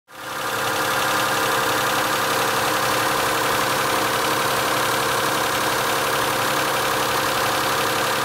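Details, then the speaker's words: Mitsubishi Galant 8, 6A13 V6, morning start: fast light ticking over steady idle that often persisted even fully warm; worn hydraulic lifters in the rear head, replaced with AJUSA units. "примерно так начиналась мое утро и этот звук очень часто даже не пропадал при полностью прогретом двигателе причина ясна и понятна это гидрокомпенсаторы"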